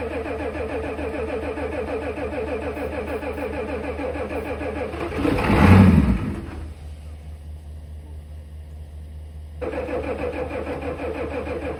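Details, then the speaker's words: 1988 Ford F350 7.3 IDI diesel sitting since the 1990s, cranked with starting fluid after priming fuel pressure: slow steady cranking with occasional hard catches and brief surges that die back; fires only intermittently, owner suspects bad, varnish-smelling old fuel. "Well, it really wants to run. Unfortunately, I think this fuel is just awful. It smells real bad, like varnish. It doesn't even remotely smell like diesel anymore. And you can hear it, besides the starting fluid, you can hear it hit every now and then."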